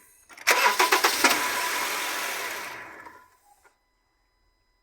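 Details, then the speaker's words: Honda CR-V with a bang on starting: sharp metal-on-metal clunks during the half-second of cranking, then the engine catches and settles; heard with the support block removed, worn transmission mount lets the engine knock on start. "vocês vão notar que ele vai fazer um tipo um estouro batendo ferro com ferro"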